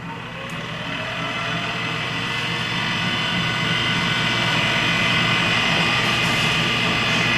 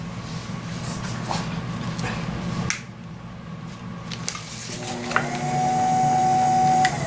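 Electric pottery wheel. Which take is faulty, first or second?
first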